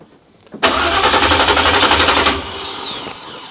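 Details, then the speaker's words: 1987 Chevrolet Monte Carlo SS with new 383 stroker and 200-4R, first start attempt: starter churns about four turns a second with no firing at all; ignition connection suspected. "She ain't trying to start. No. Not at all."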